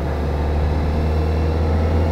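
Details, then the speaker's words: 2025 Kawasaki Ninja ZX-4RR at about 1,000 km, riding after its first oil change and chain adjustment. A smooth, steady low drone with no chain slap or rattle; before the adjustment the chain clunked during gear changes. "So yun, ramdam agad natin yung pagbabago sa kadena. Nung na-adjust na, wala nang kalampag."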